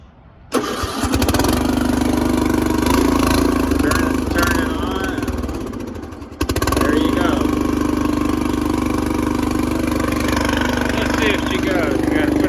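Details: Riding lawn tractor with 13.5 hp engine, started on choke: brief crank, catches right away, then settles into a smooth, steady run with an even beat; starts and runs healthy.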